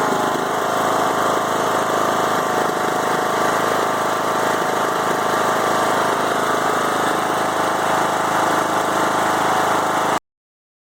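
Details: 5-year-old Craftsman mower with Briggs & Stratton Intek 20HP twin, head gasket replaced after hydrolock; uneven stumbling idle about four pulses a second, bogs while mowing; no longer smokes; rough idle, cause not found.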